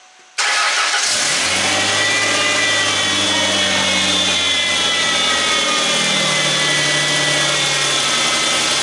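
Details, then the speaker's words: 2001 Mustang after engine swap and starter replacement, fluids topped off: engine catches on the first try and settles into a steady, even idle with no knocks or misses; normal start and idle. "let's fire it up and let it run a little bit"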